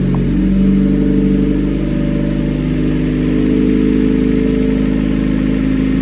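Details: 1988 Honda CRX, mid-engine Acura Integra swap with custom turbo kit, after build: catches and settles into steady even idle with smooth rev blips, no knocks or misses; normal idle and revving.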